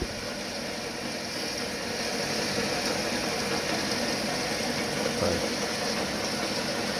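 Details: Home workshop lathe after alignment, with no high-pressure grease so it's getting hot: steady, even motor hum with no knocking or rhythmic wobble. It spins smoothly, the work runs wobble-free.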